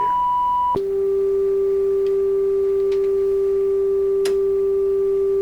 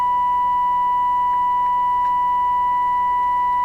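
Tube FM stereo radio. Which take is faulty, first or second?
second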